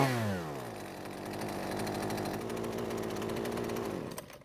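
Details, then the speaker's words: Husqvarna string trimmer two-stroke after fitting a new ignition coil, unloaded bench test with shaft and handle off: released from a little over 50% throttle, high buzzing revs drop smoothly to a steady idle that holds without dying; the underlying fault remains unconfirmed. "So this time it didn't stop after letting go of the trigger from a little over 50% throttle, which is a great sign."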